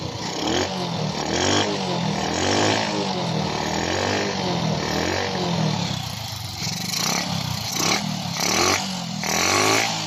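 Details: Honda XRM 125 small single fires up with its new battery after carburetor reinstalled following hard-starting; it keeps running, blipping up and settling back without stalling or coughing. Carburetor now fuelling properly, normal idle.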